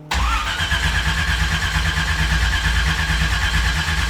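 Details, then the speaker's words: Mazda RX-7 rotary, untuned with a possibly oversized carburetor, cranked on a borrowed battery plus booster pack with no throttle: the starter spins steadily with a ragged burble but it never catches; spark assumed, plugs badly fouled. "I mean, it's burbling. I would assume it has spark. These plugs are annihilated. Fouled."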